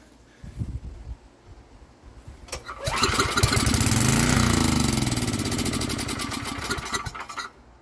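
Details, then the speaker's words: Estate-sale generator, air filter off, on starting fluid; started about 10 seconds on choke, then with choke off it catches, revs rough and uneven a few seconds, sags and dies. "all right it just started for a brief 10 seconds now it's time to take it off the choke"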